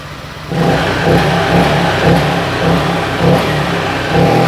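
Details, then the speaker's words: Honda Vario 125 LED scooter with weak fuel pump, after adding a resistor to the EOT sensor: picks up cleanly on each throttle blip, smooth pull with no hesitation, more responsive than before. "oke mas bro mantap hanya dikasih resistor pada sensor eot Ini sensor eot saya kasih resistor seperti ini Sehingga tarikan lebih responsif beda dari yang tadi lihat hai"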